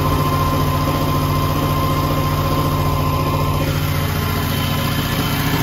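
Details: 1984 Camaro Z28, supercharged 355 small-block with Corvette cam, sat over a year: deep, lumpy idle at about two pulses a second that never fully settles, with smoke from oil runoff after the oil change. Rough idle.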